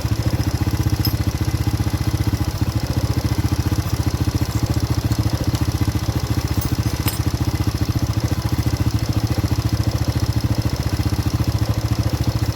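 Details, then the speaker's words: Honda Supra-series carbureted motorcycle with blackened spark plug and stalling when cold: uneven, clattery idle with a lumpy beat of about three and a half pulses a second; carburetor needle jet worn too loose, richening the mixture. "Ini sudah terlalu longgar atau sudah terlalu oblak."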